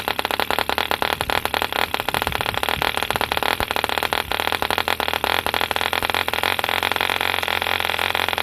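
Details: 1948 E.D. Mark II Competition Special 2cc long-stroke model diesel, first start after rebuild from two incomplete engines: fast crisp even buzz steady at high speed, no misses or rattles; healthy running.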